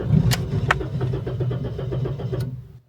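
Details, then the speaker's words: Toyota Yaris ex-undercover police car, not run in over 4 years, ran well at auction: stumbles with uneven lumpy firing and dies within seconds, sounds starved of fuel or air; alternator gives 14 volts. "that sounds awful like it's not getting any gas or air or something I'm going to try to start it"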